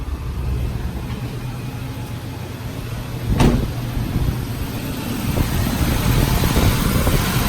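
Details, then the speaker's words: 2009 Nissan Cube after radiator cooling fan replacement, idling with AC on to command the fan to full speed: steady, even rush of air with no rattle or scraping. New fan works correctly at full blast. "Just to show that the radiator fan is blowing at full blast now."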